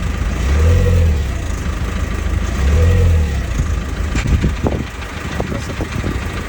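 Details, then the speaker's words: Diesel car: rough, uneven rumble with irregular sharp bangs after a few seconds, violent as if about to explode; vacuum pump suspected but its replacement did not cure it, source unknown. "On entend le bruit et c'est violent. On dirait que la voiture va exploser et tout."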